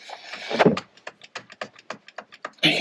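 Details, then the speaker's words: 2017 Jeep Wrangler JKU Sahara front driveshaft, rear end: quick light metallic clicks as the shaft is rocked by hand, bearings heard loose in the beaten-up Rzeppa joint with missing boot; joint to be replaced. "hear the bearings loose."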